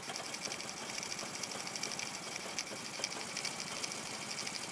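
Small single idles with a busy, uneven tappety ticking and no steady beat underneath, a rough idle with no clear cause.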